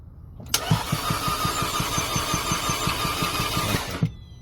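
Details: 2011 Audi A4 2.0T no-start during compression test: even cranking at five to six light pulses a second for three seconds, no firing; compression only about 30 psi across cylinders, expected over 100.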